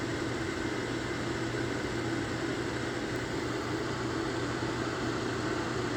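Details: Lasko electric fan heater on high (1500 W; low 750 W), camera near bottom outlet at heating coils; steady even rush of blown air with low constant hum, no rattles or ticking: normal operation.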